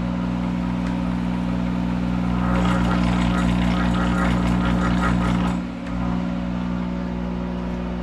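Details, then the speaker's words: Monarch 10EE lathe with thyratron drive, running in reverse at 200 RPM, spindle braked by hand: steady low hum roughens into a growl for a few seconds, then settles; normal speed compensation under load. "you hear that growl that is speed compensation as it senses the load and a reference voltage is used"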